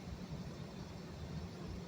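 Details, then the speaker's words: Home AC condensing unit, which previously would not start (only about 120 volts found), after a simple fix: steady even low hum, no knocks or squeals; running smoothly and cooling. "oh yeah she's cooling she's nice and cold now let's see if we can get a reading on her"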